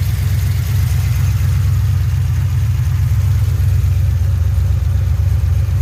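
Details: 2007 GXP with Sloppy Stage 3 cam, first start-up idle after retightening loose front rockers: deep lopey choppy uneven beat about twice a second, no popping or ticking; loose-rocker popping fixed, healthy idle.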